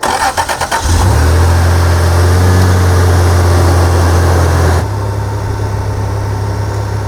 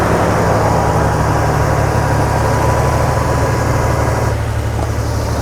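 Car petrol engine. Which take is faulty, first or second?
second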